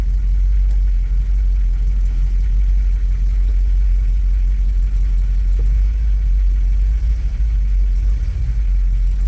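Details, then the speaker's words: Bagged 1959 Cadillac Coupe DeVille V8, warm at 160° with a 160 thermostat, idling in gear after an idle adjustment, still slightly high. A deep, steady rumble with no misses, knocks or hunting: normal idle in gear. "Yeah, that doesn't sound too bad at all."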